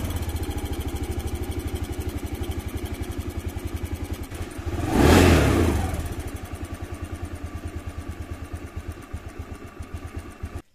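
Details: Honda Beat FI scooter after repair, idling with a steady, even putter and a brief clean throttle blip. It had stalled when revved and sputtered; fuel pressure now holds with no leak. Normal idle.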